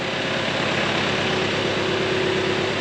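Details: RingTracktor with freshly rebuilt engine (new pistons, single camshaft, hoses; block possibly used but revised), first start after return, a bit of smoke: even, steady idle with smooth throb, no misses, knocks or rattles; healthy.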